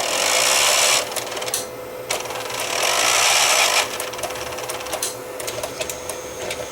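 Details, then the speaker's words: Shipping-damaged tape machine on initial inspection: scraping, rattling whirr in uneven bursts over a faint hum, then quieter; it shuts down when entering play, lubrication planned, cause unconfirmed. "I think first things first we're going to lubricate this thing and try to get that noise to quieten down a bit"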